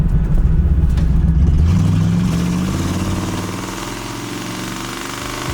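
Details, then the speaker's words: 1963 Buick LeSabre with 401 cubic inch V8 and straight pipes. Deep, loping V8 rumble with a raw open-pipe bark as it pulls away, then fading; sounds healthy and even. "That sounds nice. An old 401 cubic inch V8. They sound pretty good."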